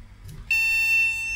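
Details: Recapped retro MSI AMD motherboard powered with known-good DDR RAM fitted: steady high-pitched POST beep, RAM not detected; no voltage measured at RAM supply, RAM regulator suspected not running.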